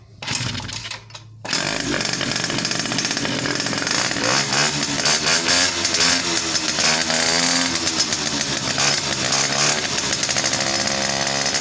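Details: Daily-used two-stroke started after easy carburetor repair, exhaust covered with a rag to listen for connecting-rod knock: high, buzzy two-stroke settles into a steady run with no knock or tick; running fine.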